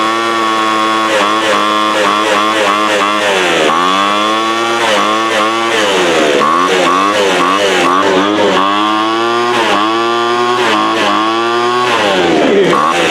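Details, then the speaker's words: 2007 Sears Craftsman 25cc blower, rusty from sitting outdoors, just started: loud buzzy two-stroke whose revs sag and recover every second or so; owner suspects air-fuel mixture needs adjusting. "Yeah, it's nice to know it runs. It runs actually pretty good. Just needs a little tuning."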